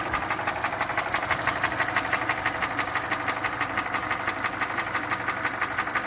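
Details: 2013 Hyundai Elantra GT GLS with 1.8 Nu engine: ticking began at 120,000 km, now knocking despite 3,000 km oil changes. Sharp, even knock about three per second over steady idle, a deep internal tapping; owner suspects a Nu engine design defect; engine knocking.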